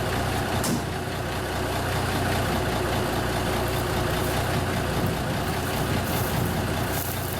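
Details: 1974 Kenworth W900A with NTA420 Cummins diesel, just started first try after three years parked, on a borrowed pickup battery. A steady, low, unhurried rumble while idling indoors, with no knocks or misses: a normal, healthy idle.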